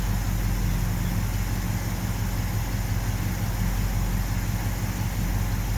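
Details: 1970 Ford F250 with 360 V8, warming up after carb idle mixture adjustment and one new plug, plugs gapped about .042: steady deep idle with slightly uneven lope; owner suspects a vacuum leak; carb base bolts found loose.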